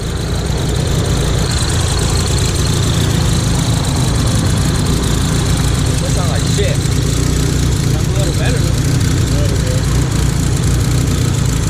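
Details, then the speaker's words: Built Mitsubishi Talon (DSM) after pulls: front O2 sensor stopped cycling, check engine light came on, huge exhaust leak; loud deep idle lurching and stumbling unevenly, suspected misfire, cause unknown. "Well, the check engine light came on, and then as soon as it hit on, it started buckling like that."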